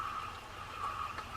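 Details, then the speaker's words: Penn Spinfisher V 7500 spinning reel, about 7–10 years old, tested after service: faint, smooth, even whir up top with no clunk or squeak. Normal age-related rotation noise. "But it's an even noise. It's not a clunk clunk or squeak or anything like that. It's up top."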